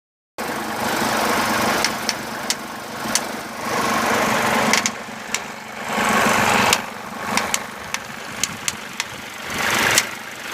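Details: Mercedes-Benz 190D W201 2.5 diesel with ASD system idling: low steady hum with sharp, uneven ticks about once or twice a second; disappears when revving or very warm; hydraulic lifters and injectors checked fine, no smoke; cause unidentified.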